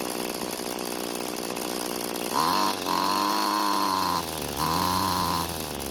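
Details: Free curbside two-stroke string trimmer after reconnecting its disconnected throttle cable: crisp two-stroke buzz rising and falling cleanly with each throttle blip, no stumble or bogging; runs healthy.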